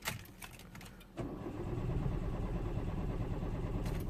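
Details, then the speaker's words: 2004 Citroen C4 1.4 petrol KFU with P0201–P0204 and P0443 open-circuit codes: a few clicks then steady cranking without firing after briefly starting and cutting out; suspected failed injector relay contacts, no feed to injectors. "as you can see it starts early AB and then it goes off I believe is I don't know maybe the the relay contacts Thalia B and then and the load he just stops passing current as you can see it's not starting out"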